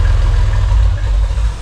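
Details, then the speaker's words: Rock crawler buggy first start with Spider fuel injection and an oversized muffler, components warming for the first time: a deep, heavy, barely muffled rumble at a steady idle, like a straight pipe. Excessively loud exhaust. "i thought that massive muffler would be a lot quieter but man thing sounds like it doesn't even have a muffler sounds like a straight pipe"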